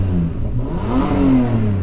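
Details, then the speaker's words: Nissan Maxima donor car, just started: loud, raspy blat rising and falling with a quick rev, harsher than stock; smoke seen at the exhaust, owner says a major hole, exhaust to be replaced. "sounds good but the thing is from what i've realized is that um i don't know if you can see it on screen but there's uh some smoke uh from there so that means a major major hole on the exhaust but we're going to change that anyway"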